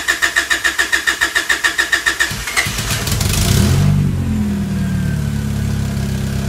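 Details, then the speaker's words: H22-swapped Honda Civic with Acura EL/Domani front end, not started in a few months; even cranking about 3.5 beats per second for two seconds, catches with a rev, settles to steady idle: normal cold start. "So I got to start the car, so that was fun. Haven't started it in a few months, so it was good to hear it run again."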